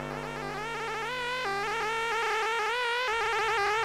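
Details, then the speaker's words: Sega Saturn console power supply area: buzzy electronic whine with stacked tones that jump and wander in pitch, reacting to the disc drive's blinking access LED; appears after power cycling, with screen lines and discs not reading. Suspected stressed power supply, not confirmed. "well it's definitely in the power supply area and it seems to correspond to the disk drive as the sound reacts to the blinking access led"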